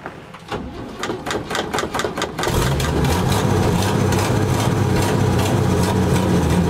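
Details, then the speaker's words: 1960 C60 straight six cold start with choke: two seconds of cranking, then a steady puffing tick at idle from an exhaust leak. "1960 C60 straight six in it no exhaust well it's got a little bit of exhaust on it leaks like H"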